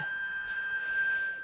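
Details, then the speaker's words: 1946 GE Model 100 AA5 tube radio after revival and alignment: steady piercing single-pitch whistle over hiss with the tuning near the bottom of the band. Cause of the high-pitched squeal is unknown. "i don't know why it's squealing down here though i don't know what that's about"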